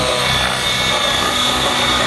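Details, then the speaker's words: Nitro RC helicopter engine after the high-speed needle was richened for continuous tick-tocks and flips, previously lean: high buzzing note holds steady with no sag or cutting out under hard load, a little more smoke; healthy run. "Yeah, much better. You can see the smoke a little more there, yep."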